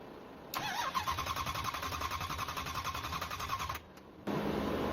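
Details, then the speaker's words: Engine, first start attempt after its coolant froze over winter and pushed out a core plug: cranks steadily about three seconds without firing, no fuel pressure building. "I'm not seeing any fuel pressure building. All right, no fuel pressure building. I'm gonna have to figure this out."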